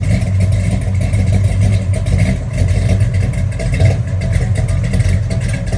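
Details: Classic Mopar Dodge Charger (General Lee) V8 with throttle blips: a deep burble rises and falls, with an uneven, lumpy pulse in the exhaust beat pointing to a misfiring cylinder.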